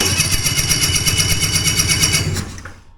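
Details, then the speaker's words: Hurricane hovercraft twin-cylinder two-stroke that won't run, cranking on the key: quick, even cranking pulses with no skipped strokes, sounding like good compression; later tested at about 140 psi on one cylinder with new plugs. "Yeah, it sounds like it's got compression."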